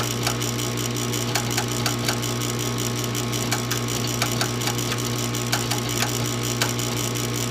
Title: Furnace won't start.